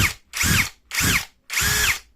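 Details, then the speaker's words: Unbranded cordless drill with one-hand single-lock chuck on speed 2: three bursts whirring up, then a mild rough "krek krek" ratcheting rattle at the end of spin-down; absent or slight on speed 1. "a kita Nyalakan terlebih di speed du nanti di akhir perputaran akan terdengar suara kasar seperti krek krek krek krek seperti itu coba dengarkan ya"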